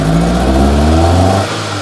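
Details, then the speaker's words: Proton Satria 1.5 revived after being abandoned in a field, engine revved then dropping back with an uneven, lumpy note; still misfiring, and a later compression test shows very low compression on cylinder 1. "Right. She's still missing. She is still missing."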